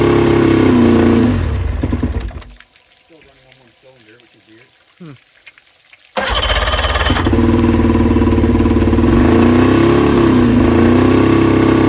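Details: 2000 Johnson 50hp outboard on fresh fuel, spark excellent and compression great: runs, dies, then restarts with a lumpy, uneven beat; one cylinder is misfiring, which the owner says isn't getting enough fuel.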